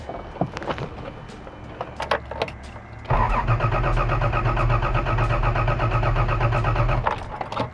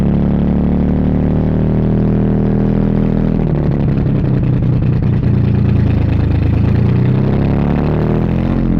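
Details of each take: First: 1982 Toyota Celica Supra with original head, aftermarket headers, new timing belt of unknown accuracy, spark uncertain, being turned over: starter catches and the engine spins evenly at about four compression pulses a second with no clatter; healthy cranking. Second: 1982 Toyota Celica Supra first runs, fuel leaking at the filler neck: engine catches, takes gas, then sags and stumbles and won't idle; owner wonders if ignition timing is off; won't hold idle.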